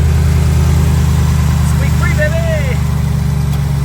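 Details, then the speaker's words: After re-centering the belt on the tensioner pulley of a Predator slip-on pulley setup, the engine idles steadily and smoothly with no belt chirp or squeal. "I'm going to fire it up and the squeak will be gone there it is no more squeak"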